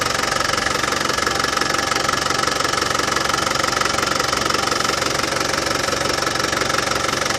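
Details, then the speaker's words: Land Rover Defender 200TDi diesel at steady idle after fitting a new power steering pump, setting belt tension and bleeding the system. The previous rattle from the pump is gone and it runs smooth and even. Normal idle. "well as you can hear no more nasty rattlings from the power steering pump that new power steering pump has cured it"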